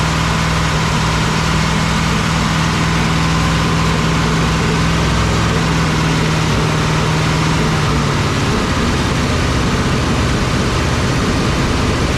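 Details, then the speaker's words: 1961 Cadillac V8 idling after carburetor adjustment: loud, lumpy idle with a steady droning tone that fades partway. Owner hears an unidentified noise and thinks it sounds like it's missing; rough idle, cause unclear. "like to know what that noise is too I don't know what it is sounds like it's missing"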